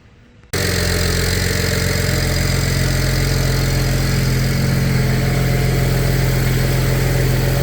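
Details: BMW 335i N54 twin-turbo after RB twin turbo install and faulty turbo feed line oil leak fix: engine catches and settles into even steady idle, smooth low hum, no ticks or knocks; normal idle.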